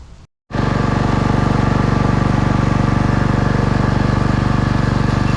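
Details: Husqvarna pressure washer running: hard, regular pulsing about four times a second with a shaking rattle; heavy vibration seemingly not from pump or engine but from the bottom of the frame.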